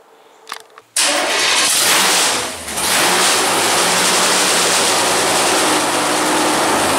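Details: 1964 Ford Falcon rat rod with 496 stroker V8, rusty headers, after sitting in a shed: short crank, loud catch, brief dip, then strong steady lumpy idle with no knocks; normal start and idle.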